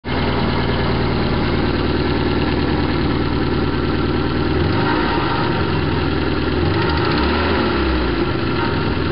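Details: BMW E21 316 with 1.8 M10 engine, carb rebuilt after head gasket swap: uneven lumpy idle with occasional exhaust stumble and mechanical clatter; rough running, slight misfire, owner suspects ignition timing.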